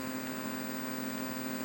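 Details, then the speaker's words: Midway Wolf Unit arcade PCB (Mortal Kombat 3) at power-up/ROM check: steady low hum with faint hiss and background interference, worse in game; most likely a faulty op amp in the audio stage. "listen there's a noticeable interference and noise in the background of the"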